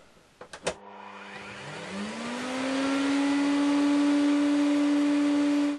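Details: Vacuum cleaner after refitting the triac to its heatsink with new thermal paste: a couple of switch clicks, motor whine climbs about two seconds then settles to steady even pitch; normal motor run after repair.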